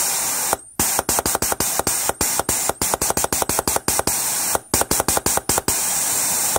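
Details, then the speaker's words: 2003 Holden VY Commodore 3.8L V6 4L60E transmission stuck in limp mode, bench air test of the torque converter PWM solenoid: steady air hiss cut cleanly by quick runs of sharp clicks; solenoid switching and sealing well, not leaking. "I've got the PWM pulse width modulated so long for the torque converter you can hear that like clicking or just pressure test that so there was a little bit of air in there but that one seems to be sealing really well and now I'm flowing air not leaking"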